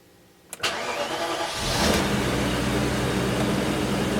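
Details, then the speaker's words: BMW E34 V8 (M60/M62) after timing chain tensioner replacement and idle control valve cleaning, pre-cranked with fuel pump pulled to build oil pressure: short crank, fires cleanly to steady fast idle, no ticking or rattle; normal cold start. "put this back and try a cold start thank you here we go cold start"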